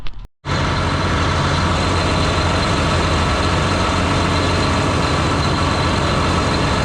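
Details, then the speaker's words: John Deere 8345R tractor diesel idling after fan clutch repair, parts being reassembled; steady, even deep rumble with no knocks or misses. A failing fan was suspected of making a rod-knock-like sound at idle. Normal idle. "all right now I might go go ahead and fire it up and let it run for a while make sure everything's going to be okay while I put all this [ __ ] back on"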